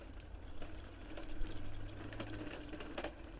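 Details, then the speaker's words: 1/6 scale Armortek Hetzer Jagdpanzer 38 tank, 24 V, first road test on patio: low motor whirr with faint tick about every half second; drive sprocket binding, owner hopes removing a link to add track tension fixes it. "I can hear that sprocket binding let's just spin that around so I can see yeah I can see that's it's definitely binding"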